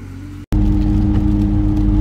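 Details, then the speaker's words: Ford BA Falcon XR6 Turbo while driving: steady low droning hum from a worn front wheel bearing, louder when turning right and quiet when turning left, pointing to the left-hand bearing. "right you can hear that humming sound coming from one of the wheel bearings which one is it well when i turn to the right oh it gets a little bit louder i turn to the left it goes quiet"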